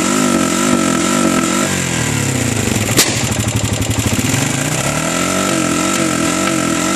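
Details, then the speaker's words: 2013 Honda Rancher ATV that starts and runs fine: single revs climb, hit a ceiling as if on the rev limiter, stutter and pop with a sharp backfire bang, then settle back; cuts out and backfires at high rpm, cause unknown. "so you hear it backfiring it only revs to a certain rpm"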